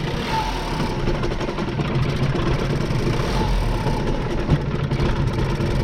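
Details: 2014 Ford Focus with 200,000+ miles in limp mode with code P2111. It idles low and unevenly, and pressing the throttle pedal changes nothing; spark plugs and the throttle body are under suspicion.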